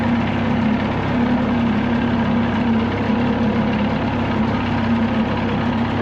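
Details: 1979 Evinrude 35hp outboard (also called old Johnson 35) at low throttle/idle with air box left off, after adjustments: even, steady drone, no popping or hunting; runs a little smoother after the tweaks, normal low-speed running.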